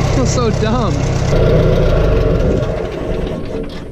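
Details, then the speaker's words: Farmall 140 industrial tractor, sat in woods over 10 years, after freeing stuck engine, valves and clutch and correcting spark plug wiring that fired wrong cylinder: steady low rumble, even firing, no miss; engine now idles smoothly, sounds good. "not believe how much of a difference that made the engine sounds good"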